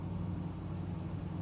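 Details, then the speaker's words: 1973 Chevy Nova badged SS, likely 350 V8, daily driven, road test after work on a mystery banging from the rear: quiet, even road rumble with no clanks; rear suspension sounds tight, fault seems fixed. "yeah still not hearing any clanks I think we might have nailed"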